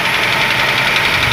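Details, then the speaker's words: Ford Ka three-cylinder engine: fast, light ticking clatter over the idle while the gauge shows low oil pressure; a faulty oil pump is suspected. Valvetrain clatter from low oil pressure. "pressão tá baixa desse motor. Então talvez possa ser a bomba, né, que tá com problema."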